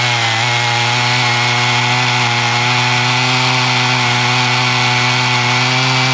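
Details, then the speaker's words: Husqvarna 55 Rancher chainsaw after carb repair, new plug, new air filter and sharpened chain, cutting hickory. It holds a strong, even high pitch with no bogging or sputter and throws good-sized chips, so it is cutting healthy. "it's got some good looking chips it's not just a fine sawdust so that's a good piece of uh Hickory actually so that's uh cutting well"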